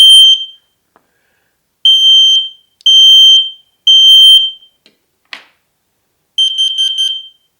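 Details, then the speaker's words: Smoke and CO alarm test, working normally: loud shrill half-second beeps in an uneven sequence ending in a stuttered burst; smoke mode is 3 long beeps every 4 seconds, CO mode 4 beeps every 5 seconds; rated 85 dB at 3 m. "To test it, 3 long beeps repeating every 4 seconds for smoke alarm mode. Carbon monoxide alarm mode, 4 beeps repeating every 5 seconds. So 3 beeps is smoke, 4 beeps is carbon monoxide."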